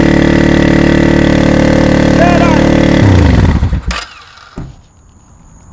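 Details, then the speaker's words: 20-year-old barn-find Suzuki Intruder V-twin, after freeing a stuck float on the freshly rebuilt carburetor: a steady, even drone for about three seconds, then it winds down and stops; running normally. "at least we know that it runs now headphone users I apologize"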